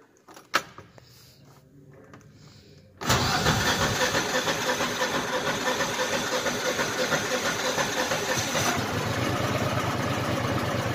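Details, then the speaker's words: 2014 Landmaster LM650 UTV with 653cc Subaru engine, started after sitting a few days: brief crank, then even, low, steady idle after idle was adjusted down from too high; normal idle. "Alright, this one's gonna idle lower. We adjusted the idle because it idled too high."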